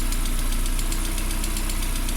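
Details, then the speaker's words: Lada Priora petrol engine at idle, about 50°C, after changing from an expensive oil to Lukoil Genesis. Most hydraulic lifters stopped knocking, but one still gives a light, quick, regular tick. Oil pressure holds about 3 (3.5 when cold). "Вроде перестали стучать. Один что-то прослушается, мелкий стук одного гидрика."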